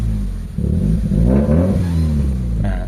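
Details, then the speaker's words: Toyota GLi with 4A-FE engine, low power and hard starting, jerks when shifting: engine revs unevenly, stumbles and misses, shakes, then sags and dies. "So ayan kung mapakinggan niyo yung ano palyado parang umuuga-uga yung makina mga bossing."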